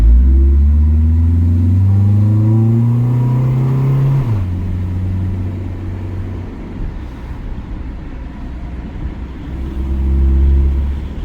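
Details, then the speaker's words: 99 EK sedan fitted with a Y8 intake manifold, previously run with no oil and leaking oil badly, floored while driving. Revs climb slowly and unevenly with a deep rumble and a midway falter; it pulls sluggishly. It smells of burning oil, clangs and stutters slightly, and the cause is unclear. "so i got it floored this is now finally going but it i don't know i don't know if it's because it has the y8 intake manifold [Music] or what"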